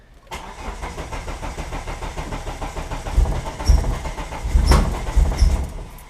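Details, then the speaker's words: Mitsubishi Eclipse 420A engine on a new Megasquirt ECU, first start after wiring, in neutral with clutch in: steady cranking, then a few uneven firing surges that fade within a second or two – starts briefly then stalls, cause unknown. "almost oh all it ran for a second hole that's so close oh we've almost got and it sounds alright too"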